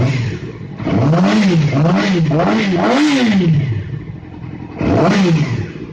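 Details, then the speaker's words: Yamaha R6 engine after a rebuild that had a knock between 4,000 and 6,000 rpm, now with a new timing chain tensioner fitted: clean repeated blips rising and falling smoothly with no knock or rattle, the knock now gone. "после перебора двигателя яма R6 был стук с 4 до 6.000 поменяли ГРМ натяжитель в цепи и звук пропал"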